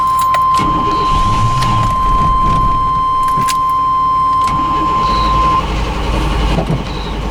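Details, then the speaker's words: Plow truck, cold start after sitting with suspected bad-smelling fuel, 150 psi compression on some cylinders: catches but idle uneven and unsettled; owner wonders about gummed injectors; rough idle, cause not found. "did start up there. Did start up, just not idling right there."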